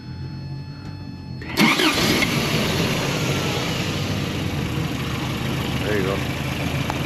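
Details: Toyota pickup during starter troubleshooting with a wire run straight from the starter spade connector to the relay: quiet, then the starter bites and the engine catches straight away into a steady, even idle; a clean start.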